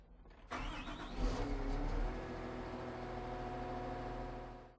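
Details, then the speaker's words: Caterpillar 926M small wheel loader diesel, started after keying to run and letting the instrument cluster gauges fully cycle: short crank, clean catch, smooth even idle with a steady low throb and no knocks; normal start. "When the gauges fully cycle, it's safe to go ahead and start it up."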